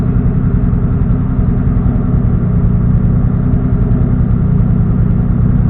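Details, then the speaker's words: Engine on a standalone ECU, fuel value raised from 57 to 58 in TunerStudio after a lean backfire, warming toward operating temperature: steady, even low rumble, no misses, pops or hunting; settled smooth idle. "Yeah, there we go. I think that's perfect right there."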